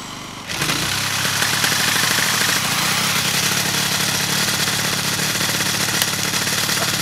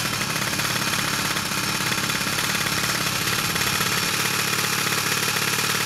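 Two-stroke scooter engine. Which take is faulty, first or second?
first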